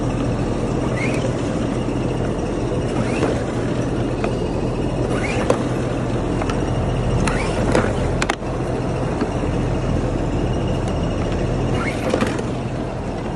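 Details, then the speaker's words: Ryobi Bluetooth generator that would not start, after draining fuel and cleaning carburetor, started on cold start by third pull: settles into steady, even drone with a few light clicks; runs smoothly, healthy. "I turned it to on the third crank. It cranks right up. Sounds pretty good."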